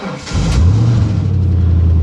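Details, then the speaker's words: 1995 Ford Mustang 5.0 V8, first start after sitting about four months, on a good battery: a brief crank, then it catches right away and holds a steady, deep idle. Normal start. "crap fire it up I didn't expect that with a good battery she'll start"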